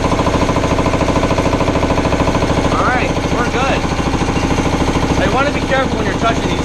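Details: Air compressor test run after resealing the aluminium head's intercooler gaskets to fix an air leak: steady, even pumping about two beats a second with constant hum and no hiss of leaking air; normal running.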